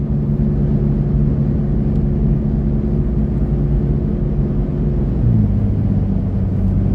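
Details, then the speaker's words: Toyota Tacoma cruising 63–65 mph with new roof rack, wind deflector and light bar, recorded in cabin: steady low road and wind rumble mostly from side window, no high whistle as before; normal wind noise. "definitely wind noise but honestly I think it's coming more from the side of the truck than up above because when I get closer to the window there I can hear the the wind blowing pretty much across the side of the window"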